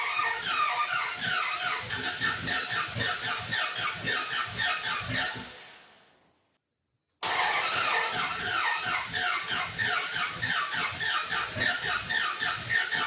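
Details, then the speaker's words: 1948 International rat rod panel truck, body-swapped, first start in 2 years after a new fuel filter and line. The starter cranks at about four turns per second, pauses, then cranks again and never fires. Both injectors were leaking gas, flooding the engine. "So, here's what the problem was. It was leaking a lot of gas from underneath the throttle position sensor and basically I found out it was the both injectors were leaking big time."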